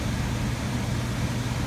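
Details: HVAC air handler after ECM-to-PSC blower motor conversion, 15 kW heat strips all drawing 20 amps per stage: smooth steady low hum with even airflow rush, no rubbing, ticking or wobble; normal blower operation.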